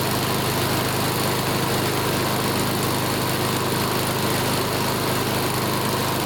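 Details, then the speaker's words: Older Honda Harmony mower after full tune-up (carb, valve lash, ignition, oil), full throttle: steady even buzz, no surging or misfires; measured 1910–1920 rpm, judged perfect, normal running. "wow look at that RPM hold on let's see what it is listen to that 1910 to 1920. that's perfect"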